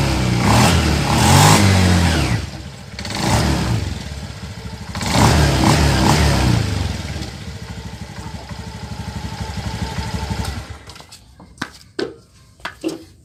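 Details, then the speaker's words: Honda Beat injection scooter after a bearing seater is fitted to the rear CVT pulley; revs up and down then runs evenly with no rattle, the CVT sounding smoother than before. "Oke teman, hasilnya mantap, bunyinya semakin halus."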